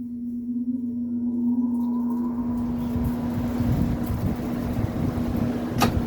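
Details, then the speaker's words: GE-branded (Haier-made) 10,000 BTU window air conditioner, about 2021, first test since acquired: low hum sets in with a rising whoosh as fan spools up, loud but normal. Normal startup. "That has one heck of a startup [Music] sound."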